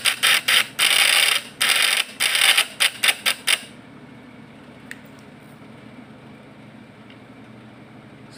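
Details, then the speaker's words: Points-type (platina) PS fish-shocker vibrator inverter tuned without an output load: harsh uneven stop-start buzzing that dies; wrong adjustment, since without a load (100 W lamp) output quality can't be judged. "Jadi ini adalah salah kita salah mengambil salah nyetel. Jadi inilah tutorial yang salah guys ya."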